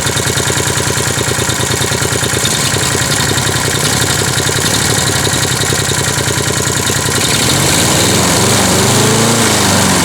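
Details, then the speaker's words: Refurbished Wolf PM-Quantum 35 mower, small single-cylinder fitted with a Toro muffler, cutting grass: even rapid beat holding steady, then rising slightly and smoothing out; normal running under load. "Je suis étonné à quel point il tourne bien ce moteur."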